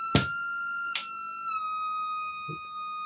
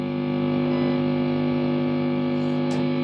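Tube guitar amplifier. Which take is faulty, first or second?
first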